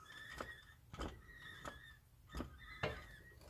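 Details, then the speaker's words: LS-swapped Jeep with 4L60E transmission: thin squeal with grinding catch about every half second when turning driveshaft forward by hand, nothing backwards; seems between transmission and transfer case, heard only at low speed in forward (owner suspects first gear). "gotta squeal what sounds like between the transmission and the transfer case so here's turning the drive shaft [Music] i turn it backwards nothing in reverse only when i turn the drive shaft forward"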